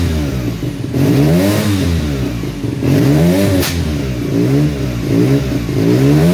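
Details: 1975 Suzuki RE5 NSU Wankel rotary on its first run in many years: revs surge up and down with a sharp crackle near the top, afterfire popping and flames from the exhaust.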